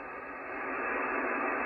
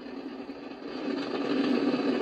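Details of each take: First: Icom IC-746 Pro after full power cycle, supply at about 13.8–14 V, squelch working and S-meter back down: steady even hiss with no crackle, distortion or dropouts; normal receiver background noise. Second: Icom IC-746 Pro on MFJ switching power supply, S-meter pinned full scale: steady hiss with rough hum, unchanged with antenna removed and across bands; internal receiver noise fault, owner suspects supply voltage or bad components.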